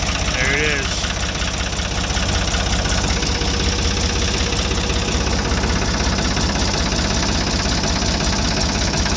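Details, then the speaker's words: Buick engine on a routine startup, battery kept up by regular starting: catches quickly and settles into a steady, even idle with no misses or knocks; healthy start. "Sweet. Let's get the key for the Buick out. Set them right here. Fires right up like always."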